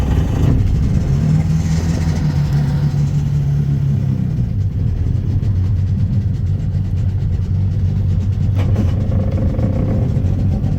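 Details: 1996 Sea-Doo Speedster engines on a cruise after MPEM removal and rewiring; deep steady drone under way with even tone, no misses or surges, engines running cleanly at cruise.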